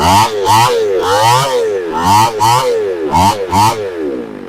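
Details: Two-stroke chainsaw after a new carburetor was installed, air cleaner off and choke off: quick throttle blips picking up cleanly each time without sputter or stalling.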